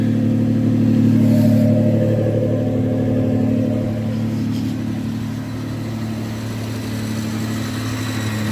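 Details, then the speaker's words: 1995 Nissan pickup 3.0L V6 with custom Flowmaster 40 2.5-inch cat-back exhaust, previously cutting out when warm: light rev blip settling to smooth, even idle, no stumbling or cutting out; normal idle. "isn't that custom exhaust sounds pretty awesome six cylinders Bremen flowmaster 40 two and a half inch all the way from the cat back"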